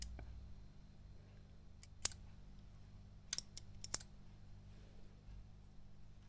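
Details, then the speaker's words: Marshall DSL201 20 W twin-channel guitar amp in for a channel-switching fault, loose LED PC board isolated from ground, tested on standby: sharp relay clicks at about 2 s and a cluster near 3.5-4 s over quiet hum; relays switching normally. "I can hear the relays clicking"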